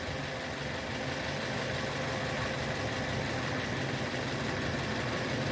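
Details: 2006 Nissan Y11 AD, QG15 e-throttle engine, idling during a cam-crank correlation test with scan tool commanding intake VVT phasing to -10; vacuum reading normal. Steady, even idle hum, no knocks, misses or surging: normal idle.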